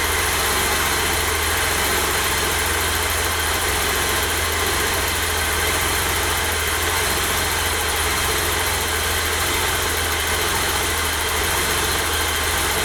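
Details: 1988 BMW E32 735iL with rebuilt M30 B35 straight-six, first start after the rebuild (fuel pump primed; original block had 395k): smooth, constant six-cylinder idle, no knocks, ticks or hunting; normal idle.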